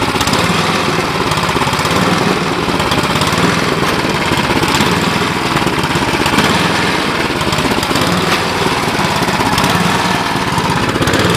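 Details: Cub Cadet 1030E snowblower, 10 hp engine, carb stated to need cleaning: loud single-cylinder chatter with slightly unsteady, hunting beat instead of clean even run; uneven running.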